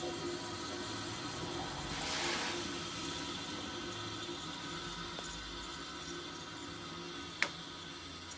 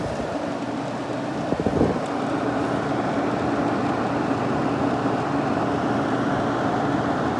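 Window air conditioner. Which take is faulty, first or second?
second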